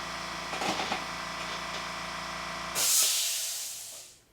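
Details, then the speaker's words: California Air Tools "ultra quiet" air compressor at the end of its cycle: the motor hum drops away, then a sharp hiss of air venting fades out. This is normal unloading, and it is quieter and less clackety overall. "so that's basically it that at the end is probably a bit distracting but i think overall it's not as clackety it sounds quieter"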